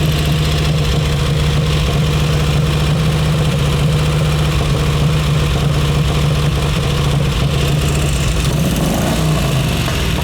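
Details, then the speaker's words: Crocker V-twin motorcycle, museum machine, cold start after fuel on and three choked kicks; steady even low thump from the big twin, no misses or knocks, settling into a clean idle; normal cold idle. "Rare opportunity to hear a Crocker motorcycle crank up and go. Right off the bat, you guys are going to hear this thing rumble."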